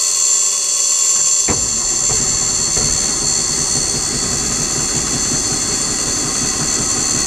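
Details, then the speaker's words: 1984 Ford truck with a Caterpillar 3208 diesel, unrun for three years, in neutral: the starter cranks at a steady rate but it never fires. Crank no start from fuel starvation, with no fuel reaching the fuel filter; the fuel tank is to be checked. "sounds like we've got a fuel issue so let's come over here check our fuel filters"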